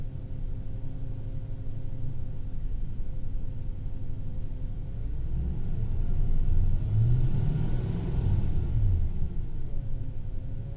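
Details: 2005 Toyota Tundra driving, faint mid-pitched whine over heavy road rumble, sliding up and down with vehicle speed; cause unknown.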